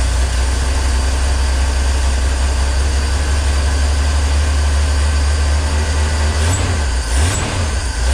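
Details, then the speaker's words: 1965 Ford Econoline van, off the road since 2011, restarted after adding fuel. Engine catches and runs rough, then sags and stumbles; owner thinks the fuel pump is not picking fuel up from the tank. "I don't think it's picking anything up from the tank"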